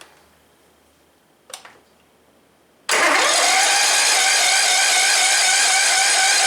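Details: Cub Cadet LTX 1045 mower after the counterbalance repair for a bad knock and an oil change: the starter turns briefly, then the engine catches and settles into a steady, even, fairly high-pitched run with no knock audible.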